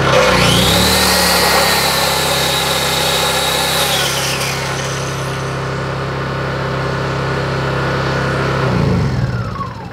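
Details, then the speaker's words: Honda EU22i inverter suitcase generator locked in full-power mode, running flat out: steady high-revving drone without hunting, surging or misfires, then winding down smoothly; normal running at full throttle. "Můžu to připnout na ten plný plyn a ona poběží furt naplno."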